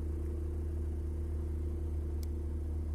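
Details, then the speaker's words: BMW E34 M50 at about -2°C with a manual air valve replacing the Siemens idle control valve: deep, slow loping idle sagging to about 500 rpm, the valve unable to compensate in the cold. "чем у нас ниже температура тем а кстати - полтора уже почти чем ниже температура тем тяжелее держать холостые"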